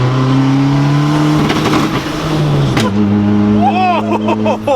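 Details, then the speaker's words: Turbo Honda Civic EG on stock internals, boost cut at 15 psi with boost trying for about 20: engine climbs under boost, hits the cut with a sharp bang and crackles, turbo whistle returns; backfire from bouncing off boost cut. "The reason that it keeps backfiring is because it's hitting rev or boost cut. So we're getting to like 15 and it's just bouncing off it because that's what it's boost cutting at."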